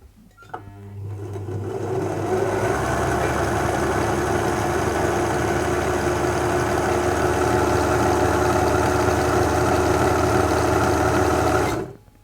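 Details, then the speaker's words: 1974 Singer Genie 354 sewing machine after a full service, run cold in a frosty room before warming: the motor spins up to a steady, fast, even whir with regular needle clatter and no grinding; running smoothly. "now that we've got the service done i thought i'd do the after comparison for the before and after so let's have a listen here and see how fast the machine's running"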